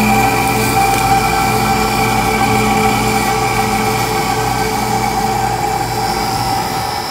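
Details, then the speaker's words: Rooftop AC unit on a no-cooling call, compressor and condenser fan running: indoor blower motor runs but sounds terrible, a loud steady droning hum with harsh tonal buzz, struggling; its run capacitor is burnt out. "Indoor blower motor's running, but sounds terrible. Holy moly. The capacitor's all nuked out."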